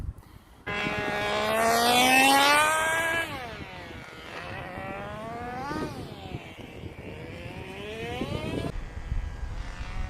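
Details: Old nitro engine in a Tamiya TGX Mk1 Nissan R390 GT1 RC car on track, with a leak at the front; high buzz climbs and falls cleanly with throttle, smooth pitch steps as the 2-speed shifts, running reasonably well.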